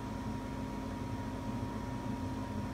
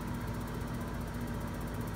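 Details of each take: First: Reznor UDAP45 gas unit heater on a heat call, after the igniter rod was repositioned to fix inconsistent lighting: a steady exhaust blower hum with a faint constant whine and a click near the end. The blower runs normally at startup. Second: New Reznor UDAP45 heater with gas pressures, venting, igniter gap and ground confirmed in spec: exhaust blower hum, rapid spark ticks about ten per second, burner lights late this time but often fails. Delayed ignition from misaligned igniter rod position.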